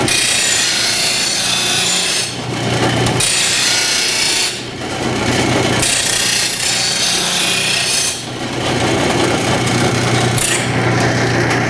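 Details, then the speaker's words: Rotary mower blade on a bench-top stone grinder: steady rasping grind over the wheel's hum, swelling heavy then light in passes, as the previously jammed, ground-away blade is pulled into the wheel, giving an uneven grind. "still grinding with the wheel like this it's still trying to pull it in which is kind of making it hard to get it even grind across here"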